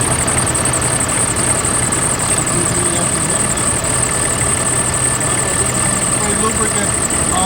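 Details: 2016 bus with Cummins 6.7 diesel idling: constant high, thin squeal over the diesel clatter that won't stop; serpentine belt slipping from a weak tensioner, fixed by replacing the belt tensioner.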